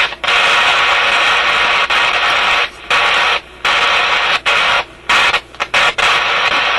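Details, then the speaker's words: Canadian General Electric KM-5 vacuum tube radio, paper capacitors replaced, hiss and crackle cutting out and returning in half-second bursts; intermittent fault in the audio output stage near the output tube, suspected heat-related contact or bad tube contact. "m kind of sounds like a heat related thing or something he's making contact Heating and then breaking off it's quite a distinct on and off to it"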